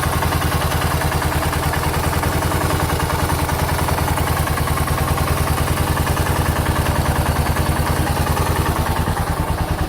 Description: Big single engine knock from piston slap on my 2006 Suzuki S40 Boulevard /LS650 /Savage 650cc motorcycle at just shy of 4,000 miles.